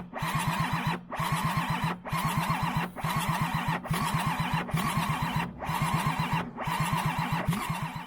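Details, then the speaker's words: Flood-affected Toyota Land Cruiser 100 Series HDJ100, 1HD-FTE diesel with electronically controlled pump: starter cranks in repeated one-second bursts with even compression beats, never catches; crank-no-start, no engine light on dash, engine management/ECU fault. "the next issue that we came across was the fact that the car wasn't starting at all and this being an electronically control pump meant that there must be some sort of engine management issue"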